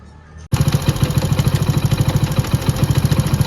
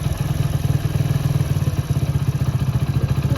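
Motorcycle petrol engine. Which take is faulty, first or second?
first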